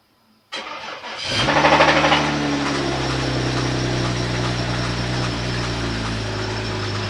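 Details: BMW X6 engine starting and idling: cranks, catches, then lumpy idle with dull knock under the hum; knock diagnosed as bad, engine to be replaced.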